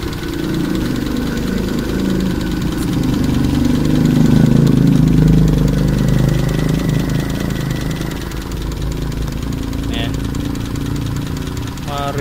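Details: Running engine with a steady idle and a light, even tapping about three or four times a second, a sign of valve clearance set too loose; tightening the clearance should silence it.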